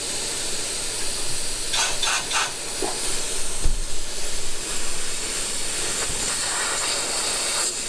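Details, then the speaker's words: SAAB 9-5 Aero RWD turbo system under a DIY pressure leak test: loud continuous rushing hiss of air blowing straight out from the underside of the boost piping, with handling clunks; a major boost leak. "On the under side right here, it's blowing straight out. This is not like a small leak. This is like major."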